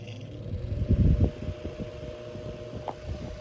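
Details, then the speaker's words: Antique Emerson Electric 11644 8-inch table fan with suspected start switch or winding fault, needs help starting: low steady motor hum with a short rattling burst and scattered light ticks while running. Abnormal running noise, unclear origin. "But you can see it runs besides that noise. Maybe it'll go away."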